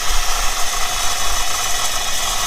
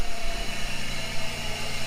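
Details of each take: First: 1997 Chevrolet Camaro V8 saved from crusher, cold start on lift with intake off: lumpy uneven idle with loose rattle; two cylinders dead, failed ignition control module and coil pack; suspected head gasket water in coolant. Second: 1997 Chevrolet Camaro six-cylinder: low even rumble, steady idle on all cylinders; oil still dirty.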